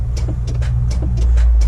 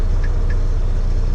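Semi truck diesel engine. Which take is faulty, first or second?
first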